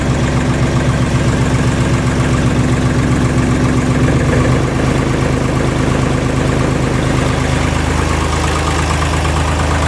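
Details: Deutz Fahr D4506 tractor diesel, test run after replacing the cogged V-belt that drives the alternator and cooling blower fan: steady, even low chug at constant speed with no knocks, squeals or belt chirps; healthy idle.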